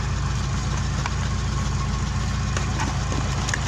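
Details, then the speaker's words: Opel Kadett four-cylinder petrol engine at idle after a fault was sorted out. Low, even idle pulse with no stumble or miss; it revs clean and drives smooth. Normal idle. "So now the car is revving clean. It's idling properly."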